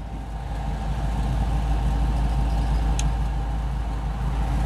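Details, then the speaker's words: Classic Mustang Fastback driving: steady low engine rumble with faint rolling whir from old A/C compressor, which are noisy when running — normal A/C compressor noise. "c'est compresseur de clim et vieux compresseur de crimes comme ça sont assez bruyant quand ils sont en route on entend un espèce de bruits de roulement en propre compte et c'est un peu normal"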